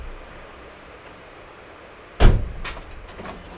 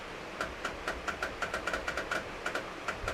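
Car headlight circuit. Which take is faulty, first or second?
second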